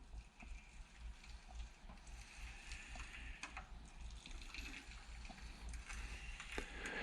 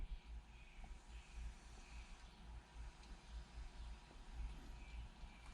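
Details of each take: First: 1997 Suzuki RM Showa 49mm conventional closed-chamber fork during reassembly, stroked by hand; a soft, gritty, crunchy slosh as air passes through the shim stacks, piston holes, needle valve and clicker assembly, not yet bled out. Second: Showa 49mm closed chamber fork from a 1997 Suzuki RM125/RM250, cartridge stroked during reassembly after bleeding: soft even whooshes about once a second, no gritty or crunchy air noise; properly bled cartridge.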